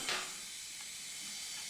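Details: Husqvarna FS450 that died suddenly on the track, leak-down test with air into the combustion chamber, engine stopped: steady high airy hiss with moderate leakage; air escaping past leaking exhaust valves, not the rings.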